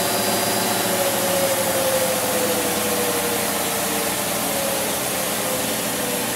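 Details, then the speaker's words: Maytag Neptune MAH5500BWW washer after motor and motor control board replacement, in the test's final spin and coast-down: steady hiss with a faint motor whine falling in pitch. Normal; PA shown, no codes logged. "oh okay cool uh yeah we got the uh end Spin and Coast down unlock door when RPM zero display PA on continuous for 10 seconds"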